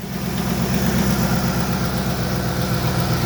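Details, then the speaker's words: 2006 Ford Expedition 5.4L V8 after timing chain, camshaft, broken lifter and spark plug replacement: first start runs with a smooth, even idle and steady low beat, no more creaking or ticking, oil pressure good; exhaust noted as badly damaged. Normal idle. "no more creaking noise. Shiny, liney, miney, miney. See? Nice. Running nice."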